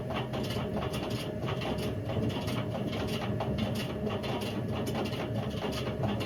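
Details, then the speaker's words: Indesit IWC71453 7 kg washing machine on a test spin aiming for 1400 rpm: harsh rough roar with fast rattly ticking throughout; drum bearings completely gone, drum eating into the plastic tub, brown oily residue. "So the bearings have completely gone on this. To the point where the drum's just eating away at the plastic, and you know, you can't really do much of this. The bearings are gone."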